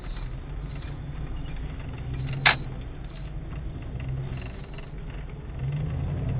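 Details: 1998 Jeep Grand Cherokee ZJ V8 at quiet steady idle gives one short sharp hissing burst when the brake pedal is lightly tipped; cause not pinned down.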